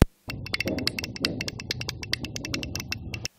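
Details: Microwave oven running: uneven rapid rattling clicks, several per second, over a low hum; the worn turntable motor on the side is the noise source and is to be replaced.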